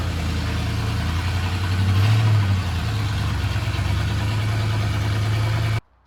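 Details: 9C1 "Bear" V8 at first start, Y-pipe only with no exhaust: loud, lumpy fast idle with a brief rev flare, then shut off; high idle from uncapped vacuum lines, carburetor needs tuning.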